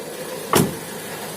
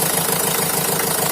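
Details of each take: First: Opel Vivaro / Renault Trafic 1.9 diesel idling, right side, quiet with belt off: dry, uneven crackle returns once the belt is fitted; injector ruled out, not the cause. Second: Opel Vivaro / Renault Trafic 1.9 diesel after fixing a crackling noise, with a worn alternator rear bearing found and the alternator repaired: van ticks over with an even, steady beat, no crackle or bearing noise; normal idle.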